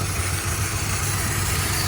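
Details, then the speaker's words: 2001 Ford Ranger 2.3-liter running very rough with a low, uneven, lumpy stumbling idle; large vacuum leak at the damaged intake manifold, codes P0171 system too lean and P0301 misfire; throttle body ruled out, intake to be replaced. "this one is two 2.3 liters so we have a leak um eva lick so and the car is running really rough"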